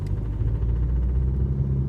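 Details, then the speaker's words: BMW 320d E90 N47 diesel on cold morning start, driving in second gear: fast regular tu-tu-tu knock that vanishes off throttle, gone after about 500 m and absent rest of day, at any outside temperature; cause unknown. "опять тутутутуту все и все это звук пропадает после того как я проехал метров 500 все в течение дня он не проявляется"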